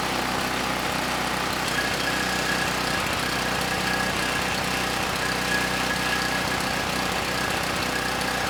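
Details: Campbell Hausfeld GN503100AC 5000 W generator, 9 hp Briggs Vanguard, started on choke: rough, uneven beat with faint stumbles instead of clean drone; engine sounds good but clone carburetor runs it way too rich, unsuitable.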